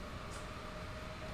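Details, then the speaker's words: Gigabyte GPU mining rig: on power-up the GPU fans spin up to full speed, a loud steady rushing whoosh with constant high hum; owner knows this GPU won't be detected by the system, cause unknown. "right here the fans spin up so much like that it's so loud I really what causes it"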